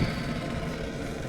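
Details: Gas fryer pilot being lit with knob held in to purge air from the line: soft, steady low roar and hiss of the pilot flame burning evenly, no sputter or popping.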